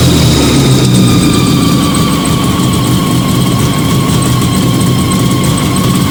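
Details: Fiat 125 twin-cam on CNG after installing a new gas injector at the carburettor and the original air filter, just started; steady even idle, smooth low rumble, no misses or knocks, runs cleanly.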